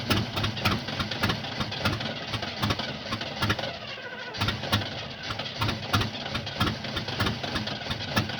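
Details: 1975 Oldsmobile that won't start: steady, rhythmic cranking as the starter turns the engine over repeatedly, but it never catches and runs; cause unknown.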